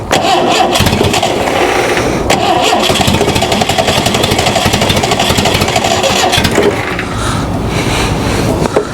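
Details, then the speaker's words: Ford Pinto-engined kit car, sitting outside since 1995, likely flooded and leaking fuel: steady starter churn with the engine coughing and half-catching but not running. "I'm sure it's flooded all the [ __ ] cuz it sucked down most of what I put in the bowl and it was just kind of dripped down to the cylinders"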